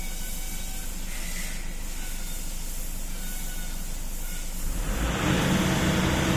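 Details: Toyota Innova diesel with occasional sudden stalling, during a fuel system leak test: idle clatters unevenly, then rpm climbs on its own without settling; unstable idle from a fuel system fault.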